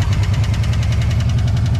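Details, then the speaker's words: Ford van engine revived after a fire, idling with oil pressure: a sharp, regular knock about six times a second over the rumble. Owner wonders if it is a loose converter. Knock at idle. "uh i mean that knocking sound is it a loose converter or something maybe"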